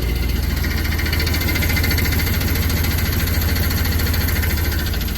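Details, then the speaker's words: 2004 Chevy Silverado, 6.0L gas V8 with 4L80E transmission, idling with a loose, uneven, intermittent knocking tap underneath that fades on throttle; bad cracked flex plate. "it's a 04 Chevy Silverado six liter gas 4L80E transmission and it's got a bad flex plate in it so let me show you what it sounds like"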